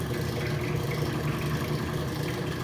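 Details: Rotary vane vacuum pump on a neon bombarding/processing bench pulling down vacuum through the manifold: steady, even low hum with smooth hiss, no knocks or surges; normal running, system still outgassing.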